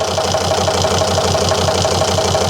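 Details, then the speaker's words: 2003 Volvo XC90 D5 diesel idling rough during leak-off test: lumpy knock about six times a second with loud clatter, won't idle normally; cylinder 4 injector returns far more diesel than others, faulty injector causing misfire. "No, don't want to idle normally at all at the moment. We can definitely say so far that cylinder number 4 is returning way more diesel than the rest of them."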